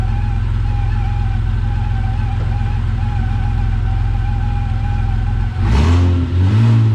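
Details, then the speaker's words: Vauxhall VXR project car after engine install, revved: steady, smooth note climbing cleanly with no knocks or rattles; engine pulling well, though a slight noise from the power steering pump awaiting replacement is mentioned. "Other than that, I mean, she is sounding sweet. So I did take her for a bit of a blast, and she's pulling amazing."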